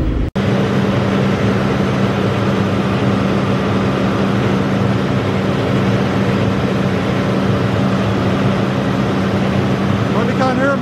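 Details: Massey Ferguson 40 combine harvester, believed 1996, revived after sitting 3 years with fuel and electrical work; smoke clearing: steady, even diesel drone at slightly raised speed, no knocks or misses; normal running.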